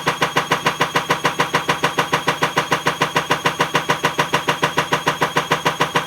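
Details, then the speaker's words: Bosch WAE24366GB washing machine (also tripping circuit breaker, element suspected) on spin, well below full speed; heavy loud regular thump/click about twice a second, once per drum turn; broken drum spider. "but if you hear that clicking that's the broken spider it's pretty loud there's nowhere near full speed yet"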